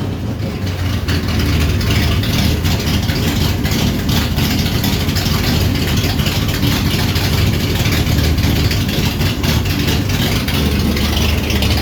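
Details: 1967 Dodge Charger V8 first run after rebuild: loud, deep idle with a steady, even lope and no knocks or misses; sounds healthy.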